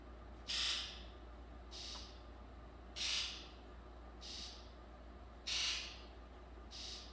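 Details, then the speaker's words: 2002 Ford F-250 7.3 diesel, codes P1291 and P1316, right-bank injector control fault, rough running: injector buzz test gives sharp rasping bursts, alternately strong and faint, first injector muffled; fails test, later traced to rubbed-through 115V injector feed wire near C110. "so it it boarded the test it didn't fire all eight and you could hear when it was firing the first injector was quite muffled"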